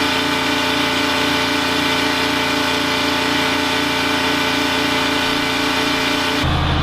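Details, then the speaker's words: Detroit 3-53 diesel generator in a homemade 1977 Peterbilt 359 toterhome, heavily loaded (heaters, 2000 W water heater, air conditioners, 13,000 W instant water heater); loud steady drone with an even beat, dipping only slightly under load; generator uninsulated, running normally. "it's still running. I wanted to give you an idea how loud it is in here. It's pretty noisy."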